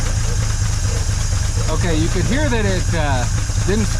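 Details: 1950 Dodge Meadowbrook after swapping to a 6-volt battery: starter turns the engine in a slow, even chug, about five beats a second, with a dog barking nearby. Slow cranking on the 6-volt supply, and the ammeter is happier afterward.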